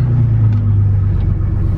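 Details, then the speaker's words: 2014 Chevy Silverado, lifted, with exhaust cut off, shortly after a cold start with fuel run low; loud open-exhaust rumble with a lumpy beat and brief dips that stop after a couple of times, cause unknown — engine stumbling at idle. "so we're actually no see i don't know why it cuts out you can really hear it now that the exhaust is cut off i don't know why it does that but once it does it a couple times it doesn't do it anymore"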